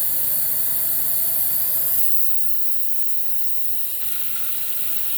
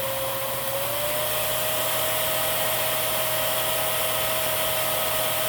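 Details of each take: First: Miele Swing H1 vacuum with blocked suction: steady hiss with sharp high whistle, dropping as the bag indicator pops open and leaks air, acting as suction relief. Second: Miele Swing H1 (Quick Step) upright/stick vacuum, airflow test through a 35-to-32 reducer, switched from low to high: a steady high whine steps up in pitch, then holds even; airflow lower than the tester expected. Normal high-speed running.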